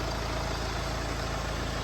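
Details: Mercedes E250 petrol engine after repair of knocking (damaged piston replaced, engine overhauled, timing reassembled): idles smoothly with an even low beat, no knocking or misfire.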